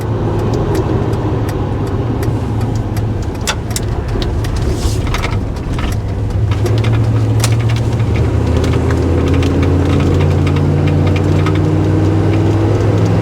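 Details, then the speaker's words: 1990 Chevrolet K1500 4x4, about 63,600 miles, original stock fuel-injected 350 V8, 700R4 overdrive automatic, on test drive: smooth even V8 rumble rising in pitch through the gears, exhaust not loud; accelerates well, healthy. "all right head back to the shop accelerate good just a stock 350"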